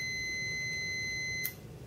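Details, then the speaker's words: Relay coil powered from a 5 V battery during a continuity test: steady high tone, then one sharp click as the tone drops, relay tripping and opening the normally closed circuit; switching normally. "did you hear that click that click was the relay tripping and as i predicted that circuit becomes open when the relay is tripped"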